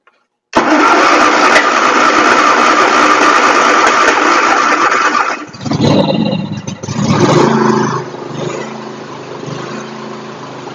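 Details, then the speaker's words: John Deere X324 riding mower, after fixing a cracked float that let in water and flooded the carburettor, which had been running rough and popping: starts right up and runs steady and even, no popping or stumbling; sounds much better. "That sounds way better. Holy cow, that sounds so much better."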